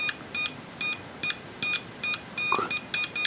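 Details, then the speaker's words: Lidl multimeter for about 10 €, continuity and diode test on a combined range, probes touched: short, crisp high beeps in clean bursts, roughly one per second; normal continuity beep. "Ich brauche dann nicht amstecken und es reagiert sofort. Klemen zusammenu Kdiotentest 003 Volt ist klar der Spannungsabf an den Messleitungen hat ein kontinuierlichen Ton und reagiert"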